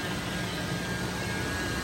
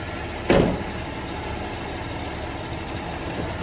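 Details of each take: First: Toyota FJ80 80 Series Land Cruiser at idle; rushing hiss with thin constant whine from the power steering pump, suspected low fluid or air in the system. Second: Toyota 80 Series Land Cruiser (FJ80) after fixing a power steering pump whine: steady, even idle with no whine, even when steering is moved; one brief thump near the start.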